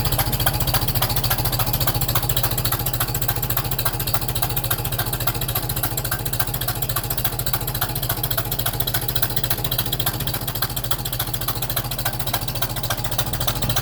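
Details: Super M tractor petrol engine at idle right after startup: sharp regular tapping about three to four per second; first thought cracked exhaust manifold, now suspected manifold gasket leak.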